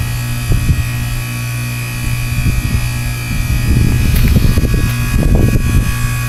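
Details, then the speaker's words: Heat pump (Goodman outdoor unit), frozen solid with heavy ice during a blizzard, going through a normal defrost cycle: steady low hum near 200 Hz with irregular gurgling and rushing as ice breaks off and the unit steams and drips. "here the ice-breaking in the unit i got icicles hanging on the side of my house by this bush it's just coated with ice"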